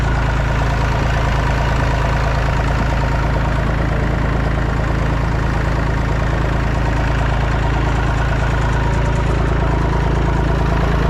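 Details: Massey Ferguson 245 three-cylinder diesel tractor (Perkins tag), revived after 12+ years, burnt/melted radiator, driven to barn; steady, even chug at constant speed, no knocks or misses. Normal running.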